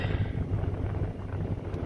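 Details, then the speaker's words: SVT Lightning truck with an electric fan kit installed, after about 30 minutes of idling with AC and everything on and temperatures normal: a steady, even low idle with no knocks or surging; normal idle. "So I've been idling the truck for about 30 minutes now, and all the temps are away at their normal operation."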